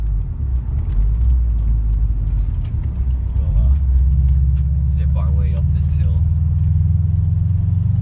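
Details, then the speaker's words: 2013 Subaru STI, 265 hp turbo, on its first drive after a no-start was fixed (no spark from broken crankshaft sprocket teeth): a deep, smooth exhaust rumble with a rally-car whine building under acceleration, no knock or stumble, healthy. "and it sounds good nice super humble not too loud though so I'll strike it actually has like that rally car wine to it"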